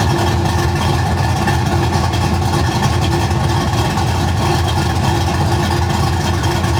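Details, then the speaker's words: Cammed V8 (mild cam 216/220, .550 lift, 114 LSA, base timing about 18° at idle) idling deep and heavy with a slightly uneven, wandering beat that never settles smooth; idle mixture deliberately set too rich to demonstrate. "so let's talk about if your idle is too rich I can go ahead and do a sign a sound clip of um the idle R being too rich I'll do that right now"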